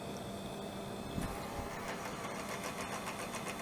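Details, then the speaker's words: AT&T Globalyst 630 (Pentium 100) floppy drive: a quiet whir with a fast run of sharp ticks as the head skips; owner suspects it is gummed up and the worm gear lacks torque to move it, with possible worn plastic; grease being applied. "I think it was just gummed up, and it was getting stuck in the worm gear didn't have enough torque to actually move the head, and it just was kind of skipping."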